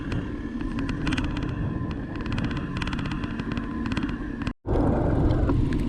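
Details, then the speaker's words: Electric mountain bike with a DIY 500W TSDZ2 mid-drive motor, riding in rain: faint steady hum over wind and road rumble as a shifted fork-mounted water bottle rubs the front tire. "the water bottle uh uh shifted a bit and it uh moved it close to the tire the front tire and uh it started that numbing sound"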